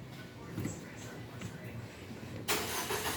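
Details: MG ZS after a no-crank no-start problem: under two seconds of uneven starter cranking, then the engine catches with a sudden loud rise and keeps running; it starts normally.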